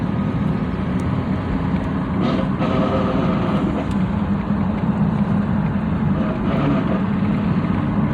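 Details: 1999 Dodge Durango 4x4: steady low drone with faint hum over road noise when lifting off the gas, seeming to come from the front; source unclear.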